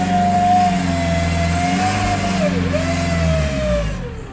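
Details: BMW E90 M Sport, 94k, sudden loss of power while driving: clear high whistle over the engine that dips and recovers as revs change; owner suspects turbo failure.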